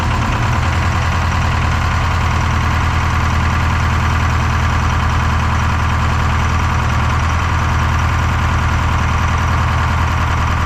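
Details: Detroit 4-53T turbo two-stroke diesel, 9G90 injectors, modulator off for full rack: loud gruff drone, slightly uneven lumpy beat around three per second; injector number two, coldest on IR gun, not firing when isolated with screwdriver; fuel pressure suspected.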